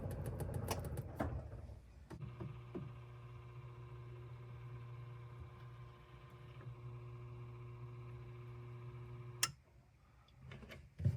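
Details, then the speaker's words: Whirlpool refrigerator after replacing the damper (WPW10479155), which was noisy a couple of times a day: a smooth, even motor hum for about seven seconds with no clicks or grinding, then it stops. The new damper moves quietly, as it should. "so it's on now you see the flapper is so smooth when it's opening there's no noise nothing and the same thing when I turn it"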